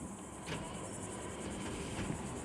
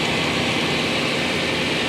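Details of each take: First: 1995 Chevrolet Silverado shop truck after it died and restarted: quiet, then catches and runs with an uneven, stumbling low rumble and missing beat; misfiring, ignition coil suspected, not confirmed. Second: Cheap OBS truck that previously ran badly, after a plug job that found spark plugs finger-loose and leaking compression: steady, even fast idle with a smooth rushing exhaust note and no ticking or puffing; exhaust leaks cleared, engine running properly.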